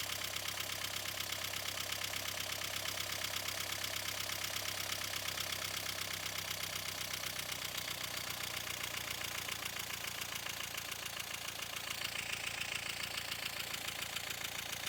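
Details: 1.5 dCi diesel at idle: clatter wavers and changes character partway through; unstable idle attributed to a faulty fuel pressure regulator.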